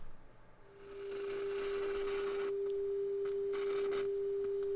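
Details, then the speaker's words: Sansui TU-X1 tuner on AM after repair (probe on TP12): a clean, steady mid-pitched tone comes up over light hiss and holds without wavering. AM reception now works properly and only needs fine tuning. "you can hear yep it's working perfectly so all we have to do is dial it in now and everything should be good"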